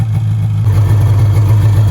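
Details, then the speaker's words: 1994 Polaris Indy 440 two-stroke snowmobile with rebuilt fuel pump and airbox refitted: slow even low drone, idle a touch low; also bogging above 4–5K and leaking coolant. "idle's a touch low but that's not really a big deal"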